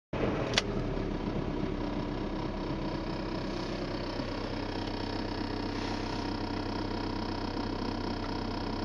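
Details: Skoda Octavia with a strange engine noise: engine runs steadily with a constant hum, a faint whirring tone and one sharp click early on; cause unclear.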